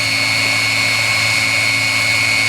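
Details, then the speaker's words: 16 kW Chinese diesel water heater (engine block preheater) heating an off-grid cabin, during shutdown: steady even fan whine with constant hiss, no surging or rattle, glow plug re-energised to purge the burn chamber; normal shutdown purge fan run. "they run the fan and it's also now running the glow plug again just to make sure it's got everything out of the burning chamber"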